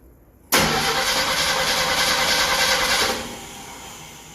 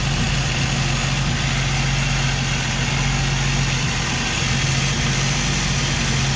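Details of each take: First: Ford inline-six in a Willys sedan delivery, first start 15 years after install, with a rebuilt carburetor: the starter cranks evenly for about 2.5 seconds and the engine never catches; no start with the electric choke stuck closed, needing readjustment. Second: Ford 250 inline six in a Willys sedan delivery, first start 15 years after install, after choke adjustment and timing: even, steady idle with no misses or knocks, then a short rev rise; lifters were noisy earlier; smooth running engine.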